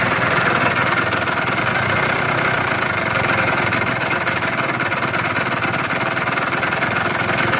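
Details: Yamaha-type (Chinese) scooter, engine reportedly rebuilt with new piston, crankshaft, bearings and seals: a rough, rapid rattling knock at idle from the belt-drive side; the CVT cover was removed and a fully loosened variator nut and missing washer found as the cause.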